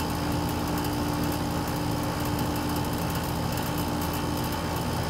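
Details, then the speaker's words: AC compressor pumping the system down during a TXV-to-piston swap: a steady hum with a rough, rattly edge getting noisy as suction falls from 19 psi toward 1 psi. The relief valve has not opened; shut off at 1 psi. "you can hear the compressor getting noisy it may kick in the the relief valve may open it may not we're down at 19 psi and it hasn't opened yet"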